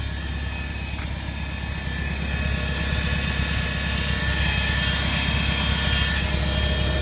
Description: I just had serviced last week, but now lt has loud noise when it starts in the morning then last about 30 seconds back to normal,is anyone tell me why?